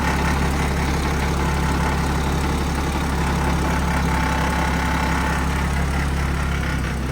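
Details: Turbocharged car's first start-up after a replacement turbo install, on a near-dead battery with a jump pack: deep, steady idle with an even low rumble and no knocking or hunting; the engine runs cleanly, normal idle.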